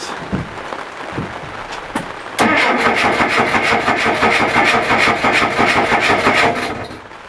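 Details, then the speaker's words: Mercruiser 470 with Pertronix 1146A ignition that suddenly stopped on the water: steady starter cranking at about three turns a second for four seconds, never firing; cranks but won't start, owner believes ignition, fuel still being checked. "obviously i got nothing so we're going to check to see what we have for fuel"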